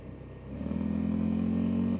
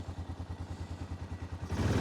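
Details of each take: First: 2005 Honda Rincon 650 ATV with 1,300 miles, after repair for no power and a 15 mph top speed, ridden in cold snowy weather on light throttle: single cylinder pulls cleanly and evenly, shifting well; normal acceleration. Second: Warm 2005 Honda Rincon 650 ATV, 1,386 miles and 300 hours, low on fuel: idles perfectly, but at full throttle the note rises only slightly and flattens, no power, about 15 mph top speed; torn carburetor diaphragm, replaced.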